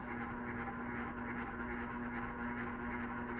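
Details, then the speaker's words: Ceiling fan on medium speed: a steady low electrical buzz under the air whoosh that stops the instant power is cut, indicating an electrical rather than mechanical fault, probably the capacitor (suspected). "that's on medium it wasn't on high now put on low is rotational but check it out as soon as we turn off the power the noise stops immediately that shows you it's not mechanical it's electrical it's probably going to be the capacitor"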